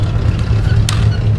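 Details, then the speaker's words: C6 Corvette Z06 V8, cabin sound while cruising on a highway trip: deep, steady exhaust drone because the exhaust valves are stuck open, their vacuum line having rubbed through on the frame. "I'm trying to quiet this damn thing down. So they would work with the vacuum line like rubbed on the frame. Oh. So it's not working anymore."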